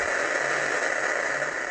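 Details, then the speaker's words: Cheap Chinese 7010B double-DIN head unit on a bench test, no antenna connected: steady even hiss with faint ticking and no signal playing; owner suspects something old and poorly filtered may be causing the disruption. A neighbor is running a chainsaw or something similar in the background. "when there's nothing going through that's a really interesting noise i'm not sure it's my it could be because that's not very well filtered"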